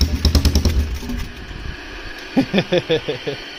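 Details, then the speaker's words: Polaris Trail Boss 330 single, carbureted, with no airbox, needing partial choke to idle: uneven chuffing pops in short bursts that fade and return, puffing at the exhaust. It is only just holding a rough idle on choke. "it should need a little choke cuz it has no airbox so I kind of need to manipulate the choke to be just right if I'm going to get it to idle right"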